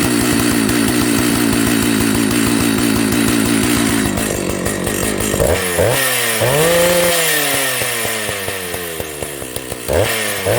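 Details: Old Jonsered 930 project chainsaw: holds a steady high rev, then blips up and falls back to idle without dying. The bearing underneath is dry.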